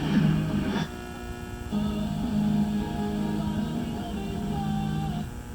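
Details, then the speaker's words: 1970 Mercury Cougar factory AM/FM stereo radio tested on AM: a steady low buzz under the station audio, blamed on a nearby steel building, plus poor reception in a valley. This is interference, not a radio fault. "Like I said, the valley, you can hear all that buzzing, that's the steel building. And then the fact that we don't get reception from here down is because of the valley."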